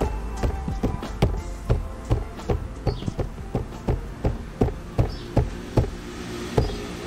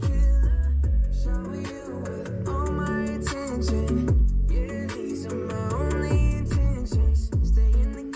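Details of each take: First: 2020 Subaru WRX passenger door: bass-heavy music thumps about 2.5 times a second, each hit bringing a brief buzzy resonance rattle from the door panel, before fixing with foam, felt tape and electrical tape. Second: 2020 Subaru WRX passenger door after fixing: panel clips tightened and felt tape added; bass-heavy music plays cleanly through the door speaker with no resonance or rattle from the panel.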